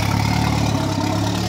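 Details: Škoda 130 project with a 1.4 MPI turbo engine on 1.8 injectors, just started: loud, lumpy idle with deep uneven throb and no crisp firing rhythm, burning poorly and smoking black; rough running from rich mixture.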